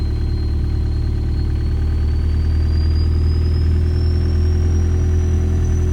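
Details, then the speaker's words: Audi A4 converted from 2.0 TFSI to a 1.9 ALH m-TDI diesel, turbo not connected so no boost, oil pressure light on (owner suspects a wiring error): deep, steady, even idle with a faint whistle slowly rising in pitch; engine sounds fine. "Everything still sounds fine, so maybe I wired something incorrectly."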